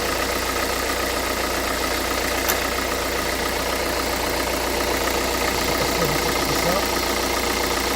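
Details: 2011 Renault Kangoo 1.5 dCi 86 hp diesel, under 100,000 km, with a Delphi injection pump, idling roughly after a hard hot restart with an irregular tick-and-shake about every quarter second. Foam and air are seen in the fuel; glow plugs and timer were checked and the primer bulb replaced; owner suspects a Delphi pump defect with metal filings.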